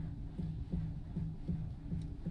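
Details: 2019 Hyundai Sonata 2.0 petrol, after MDPS (electric steering) replacement: dull regular ticks and clunks, about three a second, from the steering column/lower dashboard while the wheel is turned; earlier grease work and a column replacement didn't cure it.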